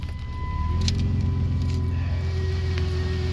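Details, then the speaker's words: 2003 Dodge Grand Caravan 3.8 V6 idling in drive: steady low drone with thin whining hum from a bad alternator, which also caused false 18 mph speed readings; hum stops when alternator unplugged. "I don't know if you could hear that that humming sound you're a real bad humming noise look at there unplug the alternator and that quit too"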